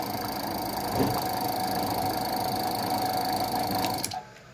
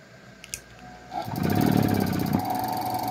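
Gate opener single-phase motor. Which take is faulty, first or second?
first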